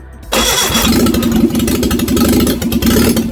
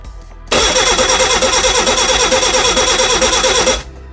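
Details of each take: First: Rebuilt Reliant Regal Supervan 3 engine on the workbench: cranks briefly, then runs on a steady, fast idle with a bit of choke and the throttle held by hand. Runs properly. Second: Reliant Regal Supervan 3 engine on the workbench, first start attempt. The starter spins at a steady even beat for about three seconds without a single firing; crank, no start.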